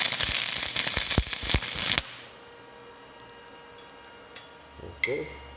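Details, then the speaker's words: Hitbox TIG 200 run as a stick welder: about two seconds of steady frying crackle from the arc; normal, stable stick welding arc. "I got over here real good and I could hear that crackling tells me it's good"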